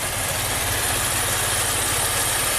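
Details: 2016 Maserati Ghibli twin-turbo V6 at 60k miles, at idle: lumpy, shaking idle with a heavy irregular pulse, smelling of raw fuel and feeling like it runs on 3 of 6 cylinders.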